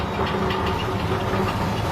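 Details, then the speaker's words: Homemade steel-frame lathe, newly assembled, vise not yet bolted down, spindle test run. Steady motor hum with a low even pulse, no knocking or grinding; spindle runs centred with no wobble. Normal running. "Senter sekali ini. Tuh bisa dilihat enggak goyang sama sekali ininya."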